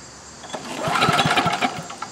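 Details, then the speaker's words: Snow blower small engine after replacing a swollen carburetor needle and seat that starved the float bowl and caused surging and stalling: holds an even, steady beat with no hunting or dying; runs smooth after repair. "well there you have it that sure sounds a lot better no more surging struggling and acting like there was no gas stalling out that's running really smooth"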